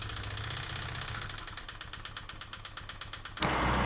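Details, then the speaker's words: Honda Vario 125 injection (K59) scooter, never serviced, with white exhaust smoke, coolant loss and rough idle; front CVT pulley removed to run engine unloaded: sharp metallic clatter about three knocks a second, piston slapping in the bore. "ketika menemui sepeda motor unit matic suaranya kasar seperti ini"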